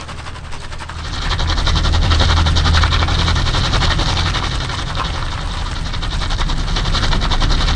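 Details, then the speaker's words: Daily-driven car with a welded rear differential turning slowly: rapid, fairly regular tire chirps over low engine rumble; no hopping or jerking is felt. "but you don't feel any of that. You just hear the beautiful sounds of the tires chirping."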